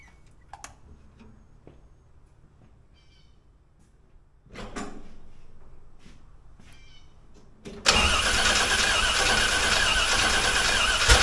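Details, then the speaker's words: Old V8 truck engine, first start after going back in from the engine stand, fuel poured in carb, choke suspected: catches after clatter and runs with a lumpy, uneven beat; sounds out of time though distributor was not removed. Hard start, rough running. "It sounds like it's out of time, but I ain't took that distributor out since I had it on the engine stand."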